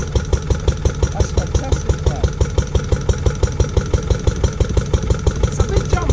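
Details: Restored Lister D petrol engine on a compressor trolley, first start after 20+ years: regular strong thumps about three per second, steady rhythm; old engine running evenly and sound.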